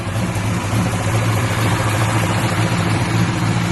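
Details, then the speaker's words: Buick Regal at idle just after start: a loud rough idle with an uneven low knock. Owner says it is not the tensioner pulley, which shakes because the wrong belt is fitted and misrouted; knock source unconfirmed. "You hear that little knocking noise? Now, you would think it's that tensioner pulley, which is not."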